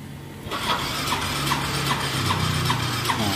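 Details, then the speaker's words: Yamaha Soul GT 125 scooter with a hard-starting complaint: the starter whirs with steady compression pulses, but the engine will not start. Hard starting was traced to the spark plug cap; rings and valves were also replaced. "itu sering saya dapat nah ini motor nggak mau hidup"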